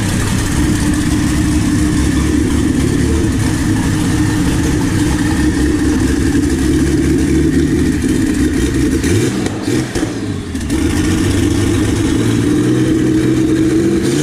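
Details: Jeep 4.0 inline-six built to a 4.6 stroker, T3/T4 6063 turbo, Holley Terminator X EFI, started up: a loud, even six-cylinder drone with smooth revs and no knocks or misses; the engine sounds healthy.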